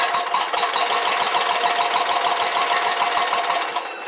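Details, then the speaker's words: Exmark Lazer Z 72-inch mower, no-start, with fuel squirted into the carburetor throat: fires and chugs evenly for a few seconds, then fades as primed fuel is used; spark and compression confirmed, fuel shutoff solenoid gets no power. "all right so uh we know that the engine runs we know it has spark we know it's got compression now"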